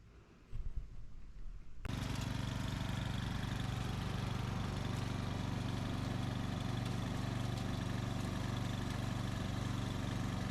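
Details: 2004 Craftsman 30-inch mid-engine riding mower built by Murray, after fitting a new piston and connecting rod: single cylinder catches after a couple of seconds, settles into a steady even thump, no rattle; normal running.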